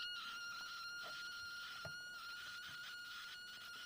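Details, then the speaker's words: Continuity tester on a breadboard via two cleaned, known-good DuPont jumper cables: steady high beep flickers, wavers and cuts out near the end; breadboard contacts still intermittent. "But I don't know whether you can hear that. It's still intermittent."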